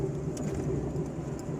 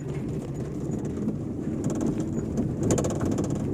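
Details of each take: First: 2011/12 Fiat Uno driven on asphalt and cobblestones after fixing a passenger-door rattle that sounded like the door banging; steady low road and engine hum with no rattles or knocks; quiet ride, no rattle. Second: Fiat Uno 2011/12 driving on asphalt: loose tapping rattles like a loose window or banging passenger door. The cause is a loose cable striking the body, not the door.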